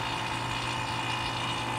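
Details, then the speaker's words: AC vacuum pump (Harbor Freight) evacuating the BMW E36 AC system, still running after 30 minutes. Steady, even buzzing drone at constant pitch, no knocks, surging or grinding. Pump running normally. "okay here we are 30 minutes later the pump is still running"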